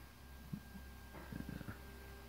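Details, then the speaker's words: 1st-gen Chevy Volt after coolant drain and refill, auxiliary coolant pump commanded on for two minutes via scan tool: quiet steady pump hum with soft bubbling, waterfall-like gurgles from air still trapped in the loop. "so during the first two minute initial you can hear kind of a gurgling sound on the background and that means is there air in there that's what air sounds like"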